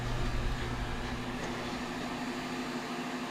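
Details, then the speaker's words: New WaterFurnace split geothermal heat pump replacing a Climate Master with a blown compressor; loop pumps switched back on after the loops are topped up and pressurised to about 50 psi: steady, even hum with a faint constant tone, no gurgling or bubbling. Pumps running air-free. "I don't hear any gurgling, bubbling."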